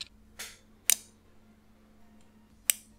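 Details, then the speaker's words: K40 laser cutter fitted with a replacement controller board, on connecting USB: three crisp, dry relay clicks over a faint hum, showing the board is powered and communicating normally. "donc vous allez avoir à des relais qui va s'activer donc vous allez entendre un petit claquement vous étonnez pas c'est normal et voilà justement ça prouve que ça fonctionne"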